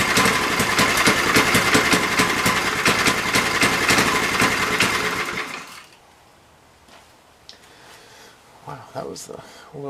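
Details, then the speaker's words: MTD edger with a hot Briggs & Stratton engine: it buzzes at full throttle but never climbs past a slow, lazy speed before cutting out. The throttle spring lacks tension and gets bent back. "full throttle ever i think i need a little tuning there's this little hand right here it's a little hot so don't burn yourself but i don't think it's bent enough the throttle spring is not putting enough tension on there so i'm gonna bend it back"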